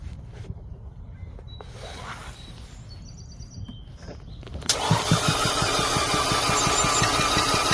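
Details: 2011 Audi A4 2.0T crank-no-start with new coils and PCV valve changed, compression testing the fourth cylinder: fast, light, even cranking with no firing. All four cylinders read only about 30 psi, and no spark was noted.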